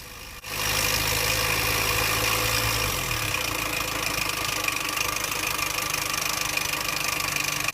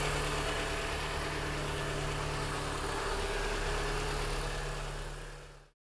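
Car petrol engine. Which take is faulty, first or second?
first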